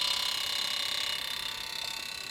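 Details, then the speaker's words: Rotary engine fuel system, M4 injector test menu, primary injector number one cycling: crisp rapid evenly spaced ticking; normal injector clicking. "I'm going to set to run number one primary first you can hear it's cycling that's a good sign"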